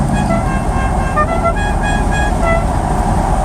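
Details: El Camino with a 4-barrel engine and a new clutch: short, clear, steady toots from the old horn over a low engine rumble; the horn works normally.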